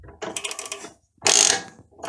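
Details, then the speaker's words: Chinese mini lathe (Sieg C2/CJ0618 type) running in reverse: harsh rattling bursts of gear chatter in the power-feed gearbox between chuck and lead screw; backlash and slop let a gear hit the edge of the housing. "this gear starts hitting on the edge of this housing here that's actually that's what the noise is"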